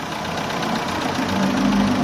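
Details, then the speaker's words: Chevrolet Aveo with code P0507 and check engine light: a steady idle that sags and roughens, nearly stalling, when the leaking EGR-to-throttle-body hose is plugged by hand, and swings up on release; the owner thinks the problem is that hose. "เนี่ยทำให้เครื่องรถเราเหมือนจะดับแต่พอปล่อยสวิงขึ้นนะครับทุกคนคิดว่าปัญหาน่าจะอยู่ตรงนี้นะฮะ"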